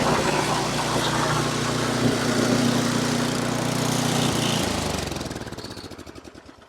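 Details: Ariens 8526 snow blower, single-cylinder engine, after its Tecumseh electric starter was replaced and fuel primed for the first time this season: runs steady and even for a few seconds, then winds down and stops; clean running with no misfire.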